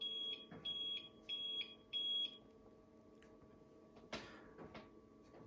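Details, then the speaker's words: APC UPS on battery backup after mains power loss: four quick high beeps in a row then quiet, repeating every 30 seconds; on-battery warning, can be temporarily muted with the test button. "जब battery पर जाता है तो ऐसे beep शुरू कर देता है। 4 दफ़ा बीप करता है हर 30 सेकंड्स के बाद।"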